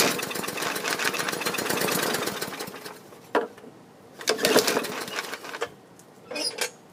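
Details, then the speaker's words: Bolens push mower, non-runner taken in trade, given starting fluid: it fires with uneven pops for about three seconds, fades, then only weak coughs follow. The previous owner had fitted a new air filter and plug; a carburetor issue is suspected; it starts briefly then dies. "as you heard it one to start it started briefly let me give it some more persuasion see what'll do this time"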